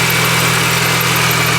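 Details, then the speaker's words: Supercharged R53 Mini Cooper after repair of misfire, check engine light still on: smooth even idle, no misfire or vibration, faint light drive belt chirp; engine sounds healthy, normal idle. "but the engine I think for the first time sounds very happy and healthy I hear the belt chirping just a little bit"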